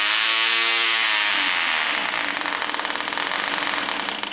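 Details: Old vintage Cox .020 glow engine, started with starter and glow plug igniter: screams at a high, steady buzz once the starter drops away, running evenly on its own; healthy.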